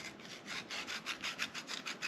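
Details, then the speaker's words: Engine block from a 1982 Fiat 124 left outdoors with the oil pan off: dry gritty rasping in short repeated strokes as a piston ring is twisted, debris packed in the ring groove; rings to be replaced. "you can hear the crap that's in there, so you can see it coming out as I'm twisting it. So that's definitely going to need replaced, but we've got that all taken care of."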